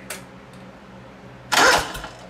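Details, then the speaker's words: John Deere 318 repowered with a Honda engine, starter with built-in solenoid, test light dimming while cranking: a short, sluggish turnover ends in a click instead of a spin-up because the solenoid lacks full voltage; a starter relay is planned. "that was a good one there but it clicked see how weak it is you heard of that so it's not getting complete voltage there all the time"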